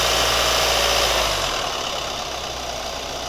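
Light, quick ticking around four per second rides over a steady idle with a bright, hissy top end; a valvetrain-type tick, cause unknown.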